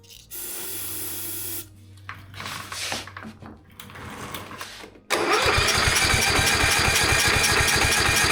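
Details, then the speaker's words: MTD Gold ride-on mower reworked as an estate car, worn engine with low compression; steady cranking about three beats a second after carb cleaner sprayed in throat, no catch; no spark suspected, owner also thinks low compression stops fuel draw. Crank no-start. "Okay, it certainly appears as if there's no spark. So that could be a simple problem."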